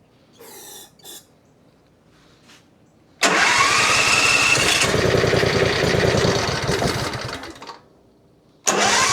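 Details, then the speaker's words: John Deere Z355E zero-turn mower, 581 hours, long stored and dusty, with a new battery and an empty fuel tank: a few weak cranks, then it runs roughly on starting fluid, dies and restarts. A broken governor gear was later found. "Let's put some starting fluid. Oops. You see, it works."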